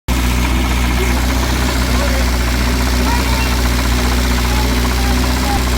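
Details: Ford Fiesta Supersport with 1660 Burton crossflow petrol engine at idle: low steady rumble with a faint repeating knock underneath; source unclear.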